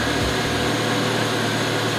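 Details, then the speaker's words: Audi RS3 2.5 L five-cylinder, first cold start after the correct battery replaced a wrong one: much stronger crank, then an even, steady idle hum with no stumble, misfire or knocking; the fault was only the battery. "All the dash is working. Look at that. That sounded way more like it it's crank was way stronger"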